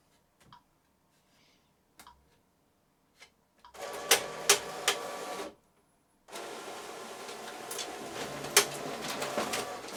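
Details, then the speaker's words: Epson EcoTank ET-16600 A3 printer automatic document feeder fault: uneven bursts of harsh rattly grinding and sharp clacks as it struggles to take the sheet through, jamming while feeding for scan or copy. "I don't know if you can hear that but the document Feer has a fault on it and basically uh it makes a grinding noise and it struggles to take the sheet through"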